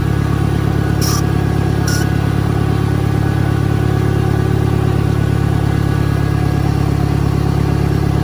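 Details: 1963 John Deere 1010, original and properly maintained, 1,000 rpm, first gear on a backyard lap, needs valve seals; steady low drone with an even, unchanging gear hum, no knocks or grinding. Normal gear transmission noise.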